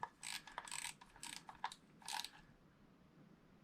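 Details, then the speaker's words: Silstar Edge 70 saltwater spinning reel during service, nut reinstalled: gritty crunching bursts with each handle turn, rough and uneven; noise persists, a bearing suspected to need replacing, none fitted. "yep there's the noise still so that bearing is could be replaced"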